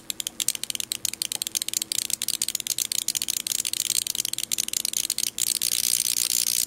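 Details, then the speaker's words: Neon sign transformer high voltage stepped up to about 2800 V (of 4000 V possible) across a switch; rapid irregular crackling ticks becoming a steady sizzle as it arcs right across the switch contacts. "so again here's about 1,000 volt there's 2,000 there's 2500 oh right there right across the switch contact this is like it about 2800 volt so not quite the 4,000"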